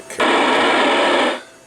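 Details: Yaesu FT-757GX transceiver, repaired after no display lights and no receive: a clean burst of even static for about a second shows the receiver working, with 12 dB SINAD at about 0.25 microvolts on FM.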